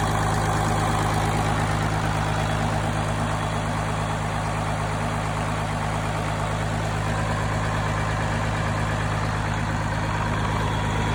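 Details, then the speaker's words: Machine engine running smoothly at steady speed with no knocks, misses or surging, holding 50 psi oil pressure while running and 25 psi just after shutoff. "you can hear it's running really good"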